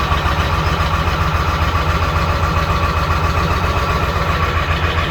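Diesel idles with a steady low thrum, but the beat pulses unevenly at about four per second; it runs rough after sitting.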